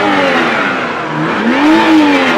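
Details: BMW 320i after starter replacement: a clean rev climbs and settles with a steady, even pitch, no stumbles or misses; normal revving.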